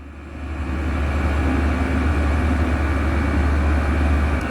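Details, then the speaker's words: Chinese diesel heater at its highest 5.5 Hz setting, drawing about 4 A and about 500 ml fuel per hour: loud even roar with steady low hum, 65–66 dB at one metre, over 10 dB above low setting; running healthy. "and now running at full power it's also quite loud over 10 decibels higher at 65 to 66"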